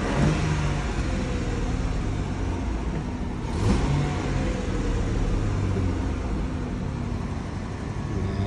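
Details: 2006 Ford F-150 4.2 V6 after the no-spark no-start was fixed (coil pigtail wire repaired away from the EGR tube): an even idle and one quick throttle blip that rises and settles cleanly; it runs fine.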